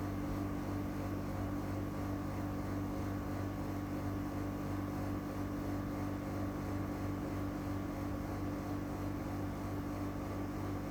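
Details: New Europace EAC701W casement air conditioner recorded from 4 m away, running with a loud, steady droning hum and low whir, far noisier than it should be.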